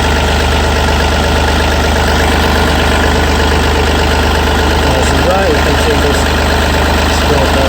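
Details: Yanmar 3TNV88 three-cylinder diesel on a C30R excavator, after fuel filter/water separator service and bleeding: low even rumble with steady beat, no hunting, rattles or misses; healthy idle warming up.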